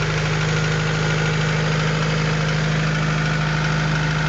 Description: B20A forged internals. Piston slap on cold start.